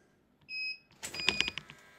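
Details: Jaycar MP5207 UPS after replacing two dead batteries, mains unplugged for a test: short, high, clear beeps, one long then a quick run of three, over light clatter; the UPS alarms correctly on battery and keeps loads running.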